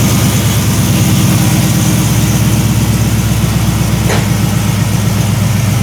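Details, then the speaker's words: 1973 Chevrolet C10 with an LS swap, long-tube headers and no catalytic converters, new exhaust system: deep, steady V8 idle with an even, quick pulse, no misses or ticks, and a surprisingly quiet exhaust. Normal idle. "Exhaust is pretty quiet, a lot quieter than I thought it would have been. I thought this thing was just going to be like ridiculously loud with the long tubes on it no matter what and no cats, so it's pretty quiet. Kind of sounds a little bit like a Mustang, which is odd, but I guess"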